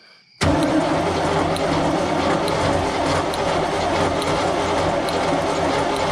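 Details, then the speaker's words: 1976 Chevrolet K20 Scottsdale 4x4, sitting about 20 years, spark confirmed: sluggish, labored six-second crank that never catches; turning too slowly to fire, possibly high compression, a bad starter, a bad connection or a weak battery, unconfirmed. "i don't know it's turning over so slow that i feel like it's got all kinds of compression or we got a terrible starter or a bad connection or maybe just the battery who knows but we got spark"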